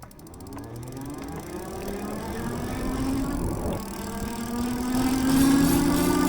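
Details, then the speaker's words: Super73 S2 e-bike, rear hub under throttle below 10 mph: a light metallic, change-jingling clatter over the rising motor whine, worst at low speed. Brake pads were ruled out; the hub internals were later replaced. "I just heard the noise again. So another thing I'm noticing is that noise seems to be in the lower speed, so it's a lot more when that hub's cranking up."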